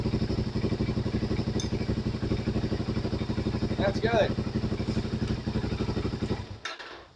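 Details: Suzuki DRZ400 single with about 40k miles idling after the manual cam chain tensioner was turned in until the noise stopped, then a little more and locked: steady thump about three beats a second, no chain chatter; normal idle.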